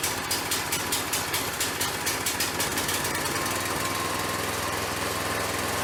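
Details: Harbor Freight log splitter with replacement engine after flood damage from Hurricane Ida, first start on fresh oil and a little gas: quick rhythmic cranking, then the small engine catches and settles into an even, steady run with no knocks or misses; normal start and running.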